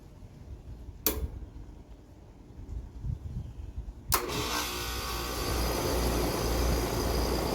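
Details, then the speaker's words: Outdoor AC condenser after a capacitor replacement, power and thermostat turned on: a sharp click, then the fan kicks on and settles into a steady, even hum and airflow. This is a normal start-up and the repair worked. "If the fan on the AC turns on, congratulations. You just fix the AC."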